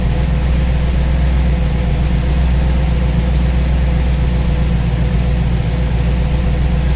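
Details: Warm V8 with newly installed Ace's Killshot EFI and Blackjack distributor, timing set at 15°, idling while radiator is topped up with water; steady, even low rumble with no misses, knocks or ticks; judged to sound pretty good.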